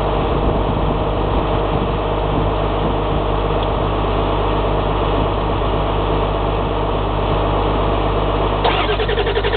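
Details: 7.3L engine no-start: starter grinds steadily for ten seconds with rhythmic compression pulses, but the engine never catches.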